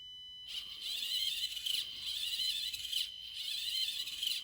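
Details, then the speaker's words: Axial AX24 micro crawler at 50% throttle after brass wheel weights were added: a high electric motor whine sags and stutters about once a second as the wheel binds. Owner believes the brass weight rubs the brass steering knuckle and plans to shave it down. "So, what I believe is happening is that the brass weight here is rubbing on the brass knuckle. And they're both injur parts, so I would have expected them to work together."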